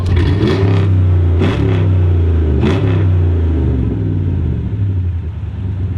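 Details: Chrysler 300C Hemi V8 with a broken exhaust flex pipe leak: deep rumble with sharp raspy puffs on each rev.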